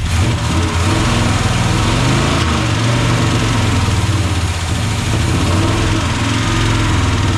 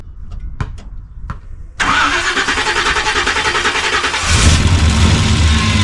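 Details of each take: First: 1976 Chevy C30 dually, new Gen 6 454 big block with hydraulic roller cam, freshly started: light fast lifter tick over heavy rumble, won't idle; oil pressure 60+; likely needs warm-up; idle problem most likely carb-related, timing being adjusted. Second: 1976 Chevrolet C30 dually with a freshly swapped Gen 6 454 big-block and hydraulic roller cam, first start on residual fuel: a few clicks, then it catches into a fairly even, slightly lumpy idle; coolant and power steering leaks noted.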